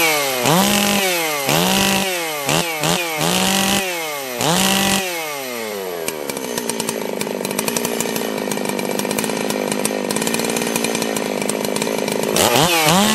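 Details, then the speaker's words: Holzfforma G660 Pro chainsaw after ignition timing advance of between an eighth and a quarter inch; sharp revs snap up and drop cleanly, then a steady high howl while cutting, crisp throttle response that woke it up. "yeah that that woke it right up"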